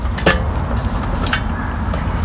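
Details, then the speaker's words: Fiskars StaySharp Max 18-inch reel mower during blade adjustment: light metallic ticks once per turn as one reel blade strikes the bed knife, needing counter-clockwise adjustment. "where i'm hitting right in here"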